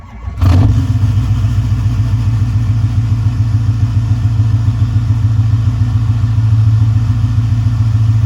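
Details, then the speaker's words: Ford F-550 6.4 Power Stroke diesel, cold start after sitting about a week and a half at 25–30°F: brief crank, catches at once, then a steady, even low clatter with no misses. Healthy cold start. "Starts like it's nothing. I'll give you one more cold start here."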